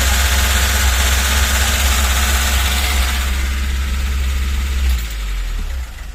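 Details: VAZ 21063 carburettor engine, high idle speed that won't settle despite accelerator pump diaphragm replaced and mixture/quantity screws adjusted: steady fast idle hum that never drops; carburettor not adjustable, cause not found.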